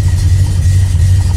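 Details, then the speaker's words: 1979 AMC AMX carbureted V8 with Carb Cheater tuning unit at idle, about 700 rpm: deep, slow, slightly uneven burble; idle a little low, beginning to pick itself up. "as you can hear idle is a little low it did start to pick itself up"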